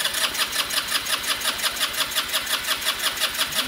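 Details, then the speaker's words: Small scooter engine cranking with boost current raised toward 200 amps: fast, regular whirring at about three strokes a second that never fires. Cranks but won't start; cause not confirmed. It later runs, with a broken fuel petcock noted. "it just needs to crank she needs a little bit more power so let's just to 200 amps"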